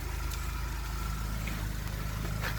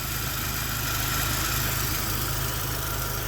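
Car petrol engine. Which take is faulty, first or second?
second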